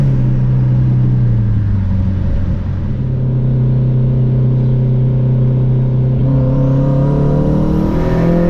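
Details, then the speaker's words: Home-built turbocharged Honda CR-V, refuelled with gasoline after running out, driving hard in first gear: smooth drone climbing cleanly in pitch under load, no stumbles or misfires; sounds good. "Dude, it sounds good. Oh yeah, give her hell on first."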